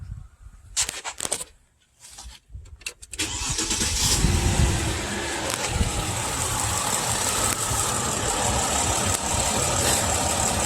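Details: 2002 Mercedes ML320, battery dead and jump-started, misfiring every cylinder on bank 2; cranks a few seconds, catches, then settles into a fast, slightly uneven idle. Engine misfire; in-cylinder pressure test suggests a clogged catalytic converter, diagnosis uncertain.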